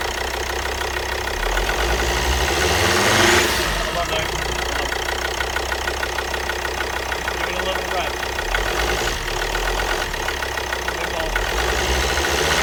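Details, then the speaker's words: Volvo XC60 D5 diesel (believed Euro 4) after injector replacement, at idle: quick, sharp puffing tick over the clatter as exhaust gas escapes past an injector; the injector needs tightening down further. "on this injector there was a little bit of uh exhaust gases coming through here so this needs talking down a little bit further"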